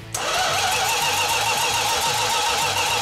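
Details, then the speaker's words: 1969½ Dodge Super Bee A12 440 Six Pack, 4-speed, at first start after restoration: a steady starter whir with even cranking pulses and no catch. It had fuel and spark but would not fire; cause not yet confirmed. "At one point, I was getting a little concerned because it was not firing at all. And it's like, why is it not firing?"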